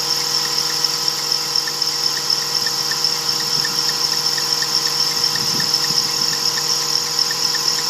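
Shrill, steady high-pitched squeal sits over a quiet idle the whole time without letting up; a slipping accessory belt.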